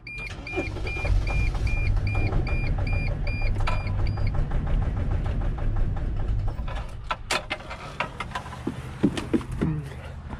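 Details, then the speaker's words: T1N Mercedes Sprinter diesel that wouldn't start, on starting spray: with a chime beeping it fires and runs rough and stumbling, smoking badly, then dies; misfire from fuel starvation, clogged fuel filter or in-tank pump suspected. "notice it's kinda misfiring because of this"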